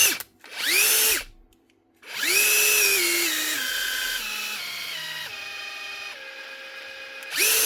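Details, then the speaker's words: Metabo SSD 18 LTX 200 BL 18V impact driver after faulty gearbox repair: clean high motor whine spins up freely, pitch steps down as trigger eases, no grinding or binding; speed difference audible versus a flatter-battery unit; runs normally. "Yeah, you can hear the speed difference."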